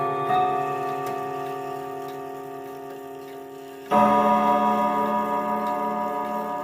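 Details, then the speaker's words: 1940s Manufrance box clock with Saint Etienne chimes and a 1940s Girod movement with long pendulum: chime rods ring with long decay but strikes are uneven, one faint, one louder, from misadjusted hammers; seatboard position is critical. The escape wheel also has uneven teeth. "Yeah, I'm sorry that the hammers weren't adjusted properly, but uh The seatboard has to be in a very specific position."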